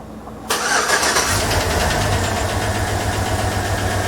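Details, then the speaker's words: 2007 GM displacement-on-demand (AFM) Tahoe with check engine light and misfire, tune-up already done: fast, steady light ticking tied to engine speed over the idle after startup; collapsed lifter. "Can you hear that ticking? So, that ticking is the lifter."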